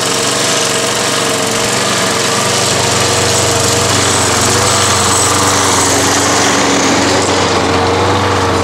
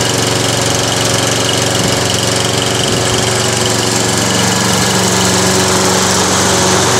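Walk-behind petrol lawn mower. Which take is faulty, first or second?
first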